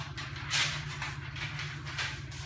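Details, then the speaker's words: Nutone QT110 bathroom exhaust fan dated June 1998: steady low hum with uneven rushing and rattly surges. The fan is loud and very weak; a tired motor is suspected, not confirmed. "Let me turn it on. It's loud. It doesn't really blow so well. If I hold it up, it'll hold it, but that's about it. Very weak."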